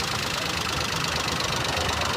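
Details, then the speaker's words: Car whose ignition turned on but key start gave no response: the ST starter relay was pulled and its two pins bridged with a wire. The engine fires and settles into a steady, even run with a hissy top end and no misses. "इस तरह का wire इस तरह का wire और यह दो पिनों में अटैच कर देंगे। यह हमारी कार स्टार्ट हो गई है।"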